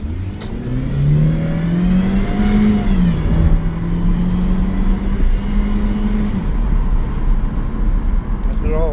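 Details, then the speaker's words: 2014 Ford Escape turning a corner: steady mid-pitched whine rising with road speed; owner suspects the transmission area, not the timing belt front; engine temperature normal. Car also had boost leak and wastegate solenoid issues. "I did hear a little bit of whining it sound like it was coming from the transmission area which is why we checked the fluid"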